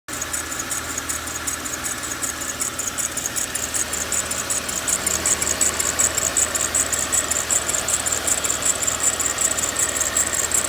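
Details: Mercedes-Benz ML 350, cold start: sharp high chirps two or three a second over quiet idle, persisting 5-10 minutes until warm, then gone; belt-drive squeal, owner suspects tensioner or belt, unconfirmed.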